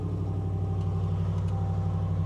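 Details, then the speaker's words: 2020 RAM 1500 5.7L Hemi V8 with aftermarket muffler at idle: deep even burble with steady beat, no ticking or tapping; most noise comes from the exhaust, engine sounds healthy. "I guess now's a good time to hear if I see if I hear any ticking. Nope, she sounds good. And honestly, on this truck, the engine's really not too loud either."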